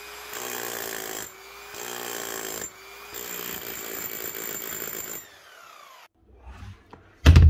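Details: Keyang KH5000M small chipping hammer after a mini service: strip-down, washout, two new O-rings, grease and rebuild; the motor is still perfect. Strong, even hammering in short bursts with a clean wind-down and no rattle or labouring, like new. Normal hammer action.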